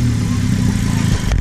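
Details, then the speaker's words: 2018 Honda Civic Si after fixing an exhaust leak: a deep, steady exhaust rumble with no puffing, hissing or ticking at the joints. The loud leak sound it used to make is gone, so the system is sealed. "It used to make a sound right here, a mean ass sound, but not anymore."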